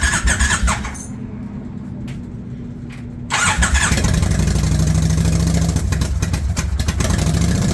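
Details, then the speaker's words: 1999 Kawasaki Vulcan 1500 V-twin after storm submersion, water cleared and carburetor refitted, started on choke: brief starter whir, then catches into a loud, lumpy, steady run; engine starts and runs. "Yeah, we're getting a little fuel coming out the bottom. That's a good sign. And try to just hold this choke on here and fire it up."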